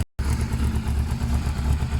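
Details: Yamaha Thundercat 600 on its old, quiet exhaust: a low, steady engine burble with nothing rattling or ticking over it. Normal running, healthy-sounding bike.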